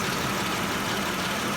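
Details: Mercedes M112 engine in a W210, steady idle: a faint quick tick that appeared after the car sat, heard along the left exhaust manifold and more clearly from underneath; owner suspects piston pins, unconfirmed, and is pulling plugs checking cylinders one and three.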